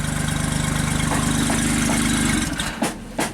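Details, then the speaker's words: JLG Baby Scissor lift small engine, slow cranking, recurring stall problem: catches and runs a steady quick putter for a couple of seconds, then abruptly cuts out; missing RPM signal suspected, not confirmed. "And then stalls out."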